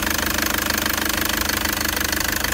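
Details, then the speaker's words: 2013 Toyota Prado 1KD-FTV diesel at 131,000 km idling with bonnet open: sharp, rapid, even knocking and rattle; premature injector failure, possibly from fuel contamination, needing injector replacement. "what i'm trying to demonstrate is hear that knocking noise a lot of people are going to think that's a diesel and it's running fine"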